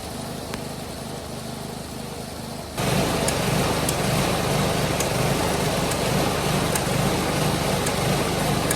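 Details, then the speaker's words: Polaris 110 kids snowmobile with a new carburetor: after a couple of minutes the even idle steps up to a louder, faster run without throttle input; owner first suspected an air leak, cause was the throttle linkage. "I was having an issue where it would seemed to be running all right and after ID let it sit at idle for a couple minutes it would mysteriously just start idling up and kind of want to take off on"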